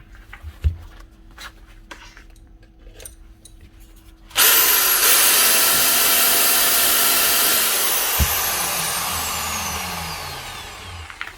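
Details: Grinder from a broken-tool lot after cleaning out what was suspected to be light oil in place of gear grease: sudden loud, even whirr that holds steady and winds down with no rattle or grinding; runs smooth.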